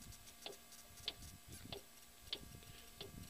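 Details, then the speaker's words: Suzuki SX4 in park, front axle rocked back and forth: sharp metallic clunks from the inner CV joint, balls suspected worn; suspected cause of high-speed wobble and clunking over bumps; driveline clunk on load reversal. "you can hear it clunking around so yeah it makes that clunk sound"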